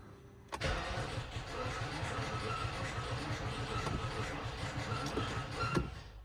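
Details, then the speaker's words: Rolls-Royce Phantom after five months' standing, trickle charger unplugged: about five seconds of laboured cranking that never catches, after it earlier started and immediately stalled; the big AGM battery is warm and totally shot, bad batteries suspected. "It's got to be bad batteries. Crap. Yep. This battery is warm. So the big AGM is totally shot."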